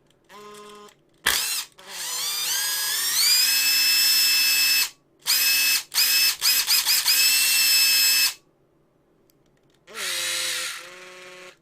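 The motor whine climbs cleanly to a steady pitch in each short burst with no flutter or rattle; the impact driver runs smoothly.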